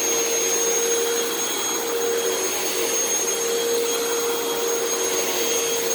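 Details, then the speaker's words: Upright vacuum running with brush roll engaged: steady roar with a thin whistle and faint high whine; brush making a funny noise, owner suspects a worn belt needing replacement. "so actually the brush is making kind of a funny noise so i actually might have to put a new belt on this now that i think about it"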